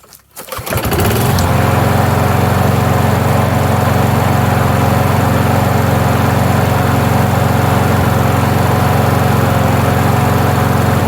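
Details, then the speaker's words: Free Toro 21-inch self-propelled mower, 190cc Briggs & Stratton engine, rough shape, previously near-seized, carburetor had been dripping: catches after brief crank into steady, even single-cylinder drone, no misses or surging; runs normally. "well guess that tears it all systems go"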